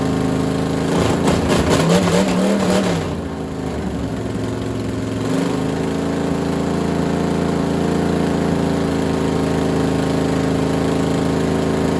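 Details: Freshly assembled small block Chevy for a Model A hot rod, Vortec heads and new cam, first start on a stand. Loud revving, then a steady even idle with no knocking or ticking; 60-70 psi oil pressure, runs healthy, getting warm.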